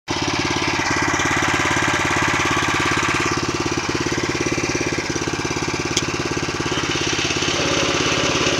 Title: Шум коробки нового мтз